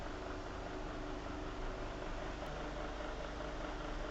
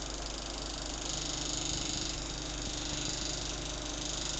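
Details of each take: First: Venol household fan after repair, noise fixed with a small piece of pen cap: steady even whoosh with constant motor hum, no ticking or blade strike; running clean. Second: Venol household fan running: steady hiss with a rough scrape about three or four times a second, as the slightly tilted blade's upper part catches the inside of the plastic grille.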